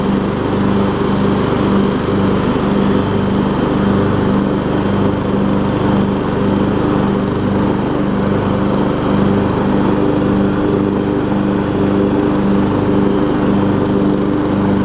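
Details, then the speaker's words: MTD Yard Machines riding mower after a transmission swap from a parts mower, blades engaged on a test drive: steady, even engine drone, deck spinning smoothly, no knocks or vibration surges; healthy under blade load. "there we go nice and smooth too I like it let's see if the blades will work perfect great"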